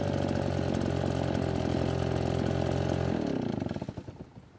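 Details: Nearly new Redmax EBZ8500 backpack blower that flooded and wouldn't start, started with modified procedure (unchoked clearing pulls, then choke): strong, even two-stroke howl at steady speed, then clean rev drop at shutdown; runs fine.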